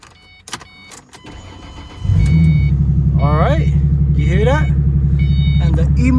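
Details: 2005 Ford Mustang after cutting and programming new PATS transponder keys: short crank, then the engine catches at once and settles to a smooth, even idle with no misses; immobilizer light off. Normal start and idle.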